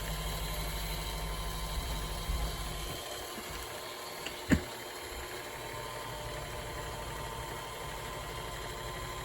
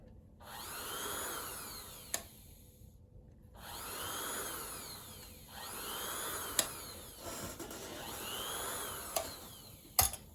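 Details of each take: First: Kenmore Sensor Sew 70 (385.1950280) sewing machine, previously locked up, running after repair: steady even motor hum with no knocks, rattles or speed hunting; runs normally. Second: Kenmore Sensor Sew 70 (385.1950280) sewing machine, previously locked up, freed, motor and foot pedal plugged in: motor whirs a second or two, cuts out, restarts repeatedly; intermittent stopping, overload protection suspected.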